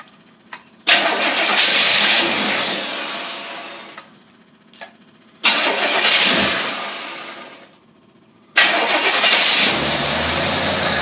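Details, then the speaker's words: Holley tri-power two-barrel carburetors from a Corvette, bench-tested on a running engine: three short bursts that flare and sag unevenly before dying; the carb is also leaking, and a big air leak is suspected. "Ooh. Doesn't sound good. Is it got a big air leak in the back or something?"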